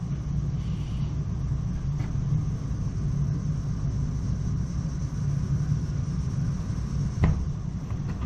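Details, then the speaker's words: Weil-McLain EGH steam boiler fitted with an M+MG2 12" barometric draft damper. Steady, even low rumble with no pulsing, puffing or sputter: normal burner operation. "if you listen you can hear the flame operating"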